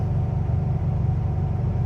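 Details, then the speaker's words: 1966 VW Type 3 flat-four, now a 1600 (was a 1500), just fitted with new single-port dual 34 carburetors, after a short test drive: a steady, even low burble at idle with no misses or knocks. "Like I said, short little test drive, drove fine. It's idling great."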